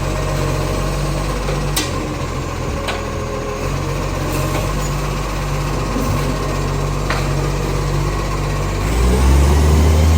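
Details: Garbage truck no. 91, a diesel, idling with a steady low drone and a faint rapid puffing on top of it: an exhaust leak.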